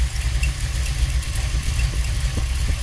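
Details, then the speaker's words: Holley 4150 double-pumper carburetor during idle-mixture tuning, running worse after the mixture screw change (about 1.5 turns out seemed best): low, lumpy idle that lopes and sags as if about to quit; rough idle from a lean mixture. "I don't think it's better. In fact, I'd say it's worse."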